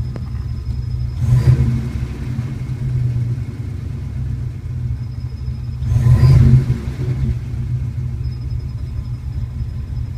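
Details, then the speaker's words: 1981 Turbo Trans Am V8 at warm idle in gear after a drive: deep, uneven lumpy rumble shaking the whole car and mirror; owner concerned, cause unknown. "Put it in gear. So that's it running after it's been warmed up. Usually I can look at this mirror and you can see the mirror shaking. It's the whole car is shaking."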